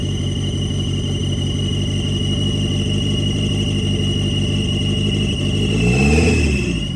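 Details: 1990 Mitsubishi Eclipse GSX, first start after intake manifold refit and top-end reassembly: fresh start settles into even, quick firing beat with short throttle blip near end; engine runs cleanly.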